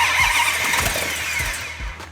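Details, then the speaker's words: Second-generation Hemi, not run in three decades, first start after fuel in carburetors and oil pressure confirmed: cranks and catches quickly into loud, crisp, even firing with no knocks or misses; normal clean start. "oh that sounded good hey hang on here that sounded good"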